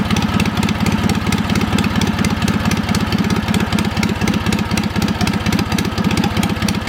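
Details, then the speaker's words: Wisconsin THD twin-cylinder engine after a stuck exhaust valve was freed with oil. Steady low putter, both cylinders firing, slightly choppy. It runs fairly well. "So I was glad I was finally able to get this thing going. Despite the stuck valve, I will say it ran pretty good."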